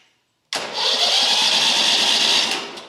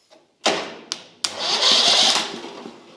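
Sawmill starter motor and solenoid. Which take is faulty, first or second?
second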